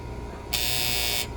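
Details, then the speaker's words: Harsh electrical buzz of about three quarters of a second from an AC unit's relay/contactor as it pulls in when the thermostat calls, on a potential warranty call at 78 degrees; a loose cap on it is suspected, and replacement with a 40 A single-pole contactor is planned. "okay so it's just a little relay buzz"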